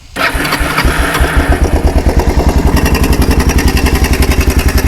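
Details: Kawasaki 300 4x4 ATV single-cylinder with new NGK spark plug, started in neutral without choke and running with no air filter fitted: catches quickly into an even, steady thumping idle with no misses or knocks; normal start and idle.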